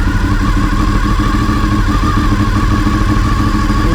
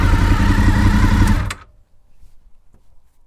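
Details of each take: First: Honda VFR800Fi (5th generation) V4, idle screw turned back up to its earlier setting, about 1500–1600 rpm versus the 1400 rpm target; fast, busy, evenly pattering idle well above normal tickover, idle set too high. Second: Honda VFR800Fi (5th generation) after idle adjustment, target about 1400 rpm, previously 1500–1600: steady even idle, slower and healthier, no misses or knocks, then the engine shuts off; idle speed correctly set.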